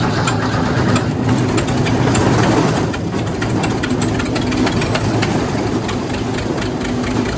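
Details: Wood chipper's small single-cylinder engine after new spark plugs and battery work, running with choke closed: steady, busy putter with no misses or stalling; runs fine.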